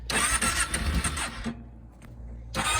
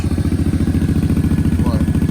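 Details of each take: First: Kawasaki KFX 700 V-twin (V-Force) ATV that had not been starting; it catches after a short crank and settles into a slow, lumpy thump, with idle a bit low and a tight, stiff adjuster. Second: Kawasaki KFX 700 (V-Force) V-twin ATV with very old fuel, idle adjuster set a bit low: even, lumpy exhaust pulses about thirteen a second, steady with no misses or knocks; idling well, healthy.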